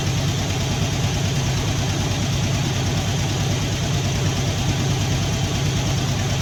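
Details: Poly 318 V8 in a 1964 Dodge D300, valve cover gaskets leaking with smoke from the manifold: idles with a slight stutter and faint clattering ticks over the rumble from a noisy lifter.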